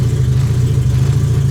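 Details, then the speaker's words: 700hp Honda Civic EK, restarted after replacing fuel pump relay, tuned on Q16 race fuel but now on 93 pump gas: low, lumpy idle with slight uneven pulse, no knocking; runs a bit rough from fuel/tune mismatch. "It's gonna idle a little rough. It's gonna run a little rough because it's tuned on Q16, but this 93 is gonna help clean out the system of the Q16, you know?"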